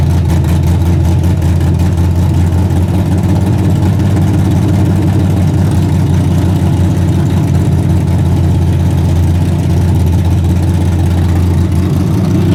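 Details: Torn-down and rebuilt 406 V8 after rebuild, breaking in, 5 min 15 s into a planned 15-minute run: loud, deep, steady rumble at even fast idle, no knocks or ticks, running cleanly. Open plenum fitted; crew thinks it may need a bigger carburetor.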